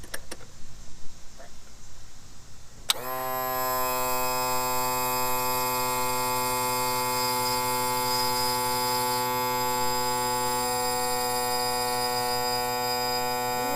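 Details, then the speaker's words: 2000 Yamaha 60hp outboard tilt/trim on homemade switch with poor battery cable, before adding fluid; click then steady even electric hum as pump runs continuously, trim raising slowly; low fluid and open manual release valve later found. "going up slow come on"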